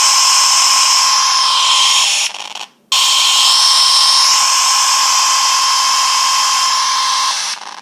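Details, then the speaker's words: iPhone 5s speaker making a harsh high buzz with a steady squeal, cutting out and returning, heard when a text message is received. It also happens on typing, notifications and music; a restart didn't help, but a later phone reset stopped it. "That's what it sounds like when I receive a text message."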